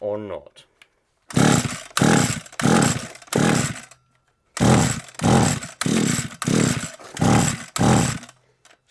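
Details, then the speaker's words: SGS Engineering 26cc two-stroke strimmer with choke on and spark present fires in about nine short bursts, each dying within half a second; it catches but won't keep running, cause not yet found. "too soon i spoke way too soon um i spoke way too soon very yeah so i jinxed it a little bit there i think"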